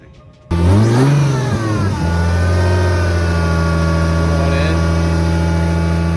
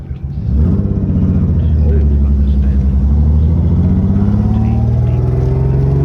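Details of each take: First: SC300 that had been misfiring, after replacing a bent part: it fires, blips and settles into a smooth, even idle with no missing beats, running much better. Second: Lexus SC300: deep rumble climbing with revs, choppy lawnmower-like note; intermittent misfire, suspected from broken, bent rotor eating the distributor cap leaving metal shavings, possibly coil too; not confirmed.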